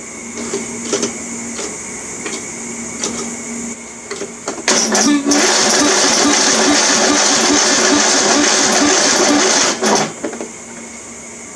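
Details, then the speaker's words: Craftsman riding mower engine being revived, cranking attempt: slow, laboured cranking with no firing; starter afterward hot and hard to spin, needs rebuilding; sluggish starter cranking. "i can feel the starters hot from where i was trying to use it that means it needs to be rebuilt and it's hard to spin"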